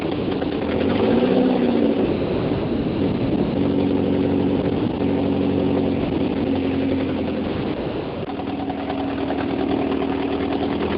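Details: 1978 Porsche 924 naturally aspirated, stock Audi 2.0L (1983 cc) inline-four with K-Jetronic injection, running with a light, uneven puffing tick. Octane was ruled out because booster made no change. The owner suspects an exhaust leak from a broken manifold-to-cat pipe bolt, or an internal engine fault.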